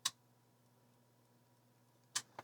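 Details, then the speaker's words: Macintosh LC power supply plugged into mains with no load: sharp isolated clicks about two seconds apart over faint hum, cycling on and off; it runs the computer normally once loaded. "i hear it clicking so it's just like the other one click click click click click"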